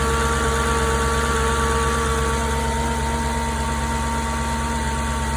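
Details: 9k-mile 2004 S4 cold start: steady, smooth idle with a loud, even cooling-fan rush and light normal TFSI ticking, no rattle or chain slap. Normal cold idle.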